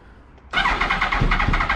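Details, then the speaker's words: 2000 Yamaha R1 4XV running poorly, only three cylinders working, before carburetor repair: after cranking it catches suddenly and runs with uneven, lumpy firing; owner suspects leaking carburetors. Hard starting, rough running. "there you go don't even want to start up five minutes later come on me probably no petrol because they had the carburetors leaking"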